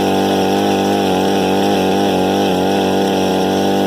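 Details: Harbor Freight 67414 ice auger after direct bolt-on replacement carburettor, started with a drill: small two-stroke holds a steady high buzz without surging or sputtering; normal running.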